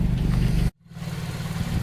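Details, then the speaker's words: Toyota AE86 4A-GE with new Martelius header, re-done T3 test pipe with new gaskets and Fujitsubo exhaust, at idle: low even burble, steady pulse, no ticking or puffing leak; exhaust sealed and healthy after install. "Okay, so it definitely sounds a lot better."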